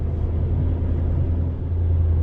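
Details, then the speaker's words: ProCharger-supercharged 5.7 Hemi at the track before its first run: deep lumpy rumble holding a fast idle with no dip, because of a slight boost leak. "we do have a slight boost leak so if you hear it idle and high that's why there is a slight slight boost leak"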